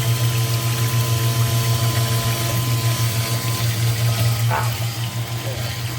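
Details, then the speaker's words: Sump pump, possibly air-locked: steady low motor hum with a faint water trickle but no surge of flow; the pump runs yet isn't clearing water. "okay we got the power cord off and the the Zar pump it's working it's just might be clogged or I don't know we're going"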